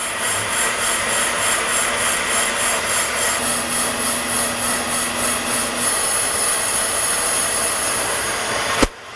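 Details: Ranger RL-8500 brake lathe machining a drum from a squealing drum brake setup, feed at about four: even cutting hiss and low hum with no chatter or singing; smooth, clean drum cut.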